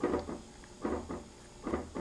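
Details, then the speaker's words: Marco CP 690E eye-chart projector after re-soldering a replacement C4 capacitor: short mechanical clunk pairs about every 0.85 seconds as it responds to each acuity-slide press on the remote. Normal slide change. "and those are the usual sounds and then it uh projects"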